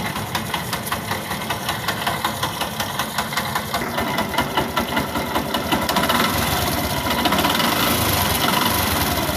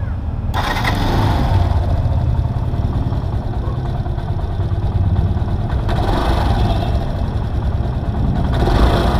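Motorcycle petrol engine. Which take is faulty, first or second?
first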